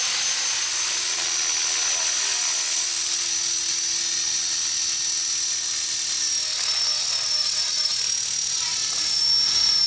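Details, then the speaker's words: Trex 450 RC helicopter with metal head and tail mod in flight: high rotor whine slowly drops in pitch as the battery loses power and head speed sags, tail bouncing around. "can hear the battery losing power. Yep, look at that tail bouncing around."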